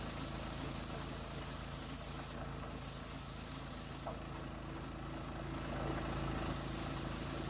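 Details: New gas-powered MaxAir air compressor, first run after unboxing and assembly, after some difficulty starting: small single-cylinder engine chugging steadily about three beats a second with bursts of air hiss; running normally.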